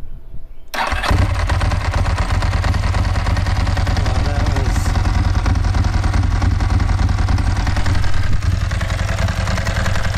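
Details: Ducati 916 motorcycle on a new BS BSLi-05 lithium battery replacing a failing Yuasa YB16AL-A2: very brief brisk crank, catches instantly and settles into a strong, steady lumpy idle; normal start.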